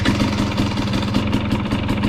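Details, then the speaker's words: 2020 KTM 250 XCW TPI two-stroke after swapping the cylinder and ambient pressure sensors. Idle that was too low is now crisp and steady with an even pulse; no sputter even with the clutch in. The swap fixed it. "the other thing i noticed is the idle was really low and as soon as i made that swap the idle sounds perfect so whatever that was it fixed that too"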